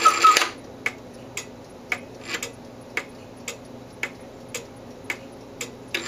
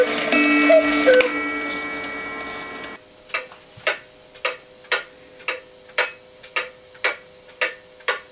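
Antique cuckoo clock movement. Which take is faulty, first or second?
second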